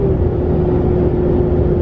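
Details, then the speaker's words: Bone-stock 2017 Ram 2500 Cummins diesel, 68RFE, 3.42 gears, towing toy hauler uphill: steady mid-pitched whine over diesel drone under load; owner wonders if fan and whether normal; cause unconfirmed. "I don't know if something happened or what, but she's like, something's whining in there like crazy."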